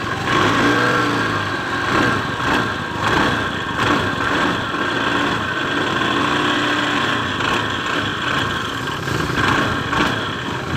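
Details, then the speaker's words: 2015-2016 Honda Beat ESP scooter revved: smooth at idle but a coarse, gritty drone under throttle that eases when it settles back; the CVT was opened and the variator rollers were found shattered. "dia kalau di langsam sih nggak berasa tapi kalau gas berada di petot rasa kasar tuh"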